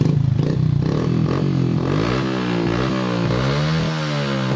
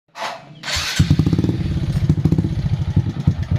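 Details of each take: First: Honda Supra X 125 that misfired (brebet) and lacked power because the top/cam timing had shifted. After the repair the engine restarts, valve noise is gone, and a smooth, even note rises and falls with the throttle: normal running. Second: Honda Supra X 125 that sputters and lacks power, at idle: uneven skipping beats with a light valve tick. Tagged as shifted timing (top geser); the valve noise is set aside for now.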